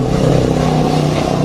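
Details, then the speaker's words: Honda Sonic 150 motorcycle, hot engine idling: rough puffing exhaust note from gas escaping through several corroded holes in the exhaust pipe. "nih di bagian knalpot ini bagian knalpot bocor nih"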